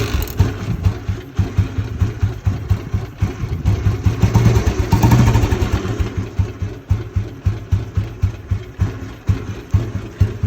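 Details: Royal Enfield Bullet (1974 or 1997 bike) after a complete rebuild, idling: slow, steady single-cylinder thumping about two beats a second, even and unhurried; runs fine.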